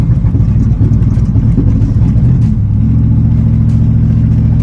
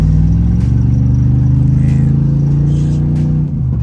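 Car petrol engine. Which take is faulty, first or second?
first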